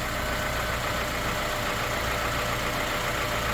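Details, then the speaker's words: Honda Element K24 four-cylinder on its first start-up, valve lash still to be adjusted, with what is thought to be a damaged resonator after the cat, heard from a distance. Quiet even idle with no misses or knocks; sounds great. "But from here, it sounds great."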